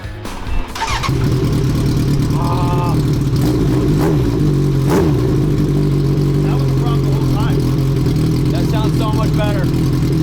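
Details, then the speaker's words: Street-legal land-speed four-cylinder motorcycle after fixing a fuel leak and cleaning plugs, clutch master cylinder still faulty: fires up and settles into a steady, even idle, now running on all four cylinders with no misses. "What's crazy is what that means is I never actually got on this thing when it was running on all four cylinders."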